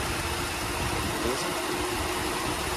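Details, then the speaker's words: Ford Fiesta, new electric cooling fan not switching on as temperature reached red; engine hot, idling, positive injected: steady rushing whoosh over even idle, no rattle or whine; fan runs normally; cause was blown fuse. "Injetamos o positivo, a ventoinha ali, ó, já acionou, beleza? A ventoinha está acionada lá,"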